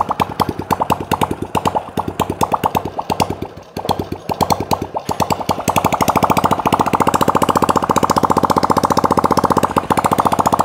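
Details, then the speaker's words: Honda Supra Fit that previously smoked badly, run without exhaust after replacing the valve stem seal and correctly reinstalling piston rings: crisp steady exhaust pops rising evenly with revs, no smoke, clean running. "teman-teman bisa saksikan tidak ada asap ya yang keluar dari lubang buang yaah jadi ini menandakan eh yang sudah teknik yang sudah kita lakukan itu sudah benar ya"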